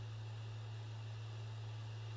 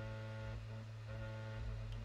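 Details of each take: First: PS5 Blu-ray drive copying a game disc to the SSD gives a steady low hum with soft hiss and no rattle or buzz, after the loose side panel that caused the rattling was secured. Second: PS5 copying a Crash Bandicoot 4 disc to the SSD: steady low buzz with a rattly edge, which stops when the side panel is pressed; the disc drive is silent, a loose side panel vibrating from the spinning disc.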